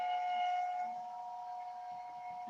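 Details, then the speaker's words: Tire Razor tyre truer grinding down a larger tyre to match another: steady mid-high whine with faint chatter underneath; owner suspects chatter may relate to his modified bushing notch. "can hear the whine."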